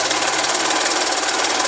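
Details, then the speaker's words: 2009 Honda Fan 125 with engine noise from the cylinder head: fast, even metallic rattle riding high over the running engine, thin on low end; suspected slack cam chain (timing chain) slapping; timing chain rattle. "nós estamos aqui galera com essa 125 ela está com barulho no motor a gente vai falar um pouquinho aqui embaixo eu falo tá E aí é nada é só que esse cara de moto a gente vai ver se a corrente de comando"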